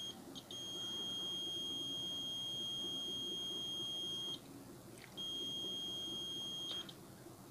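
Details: Samsung CRT TV, dead with no screen, no LED, only ticking: meter gives two long steady high continuity beeps, about four seconds each, across the transistor (collector-emitter and collector-base) in a quiet room, showing it is shorted.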